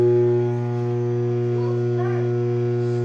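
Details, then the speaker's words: LG Tromm dryer on a normal load with the top off: the motor hums but the drum won't spin, it smells slightly burnt and only turns when pushed; replacing the motor fixed it. "Make a humming noise and wouldn't spin. It'd heat up but wouldn't spin, and then basically it'd start to smell like burning a little bit, but if I gave it a little push, it would start t"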